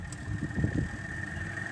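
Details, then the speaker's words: LG twin-tub washing machine after rewiring: the spin motor runs on a power-on test with a quiet, steady hum and constant thin whine, no grinding or rattling. Wiring connected correctly, motor running normally. "อ่าไปแล้วครับอ่าๆตัวนี้อ่ามอเตอร์ซักอ่าแสดงว่าสายไฟมันเราได้อ่าต่อเติมมันเข้าสู่ระบบ"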